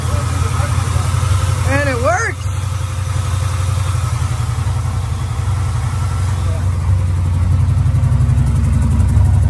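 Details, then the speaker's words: '69 Camaro V8 at first start after swapping a Holley 650 double pumper for an Edelbrock carb, with blackened fuel seen in the filter: a loud, lumpy, uneven idle. Owner suspects a misfire and plans to change the plugs and wires. "sounds like it's misfire I have to change the plugs and wires out here"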